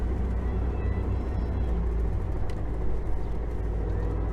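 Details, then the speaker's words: 1973 VW Thing that sat 20+ years, on its first ride and drive with a newly installed engine after front brake work, holds a steady, even low rumble with no knocks or rattles over the road noise; running healthy. "It sounds so much better."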